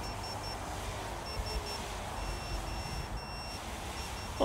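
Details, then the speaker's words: AOS 7 seven-inch quad on INAV 4.0 during a forced failsafe test with the transmitter switched off: faint, high intermittent beeping from the quad overhead over wind. This is the failsafe alarm, and the quad responded within a second or two. "so that's the transmitter off i can hear it beeping up there"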